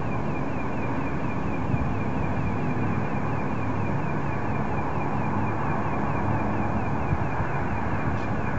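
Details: Car running with a steady low rumble and a faint rhythmic whir pulsing over it, first heard tonight and never before. The owner cannot locate the source; pulsating noise, cause unknown.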